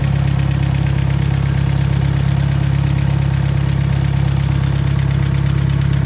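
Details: Willys-powered Hobart welding machine after a re-ring and valve job, no longer burning oil: steady, even low rumble at idle with a regular beat, no knocks or misses; normal idle.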